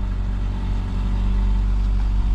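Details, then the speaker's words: 2008 Subaru Outback, 180,000 miles, just after replacing the catalytic converter, idling: deep steady even hum with no rattle or ticking; previous rattle gone, no check engine light. "and she purrs like a kitten she sounds real good all right no more rattle man she sounds good guys"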